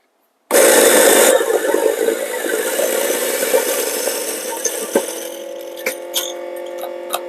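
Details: Chinese-made EK43-style 90 mm burr grinder grinding a 17 g dose: a loud, even whirr of beans going through, easing off as the hopper empties and then spinning free. Grinder sounds healthy; normal grinding.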